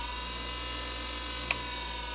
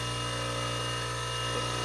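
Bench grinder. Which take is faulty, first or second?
first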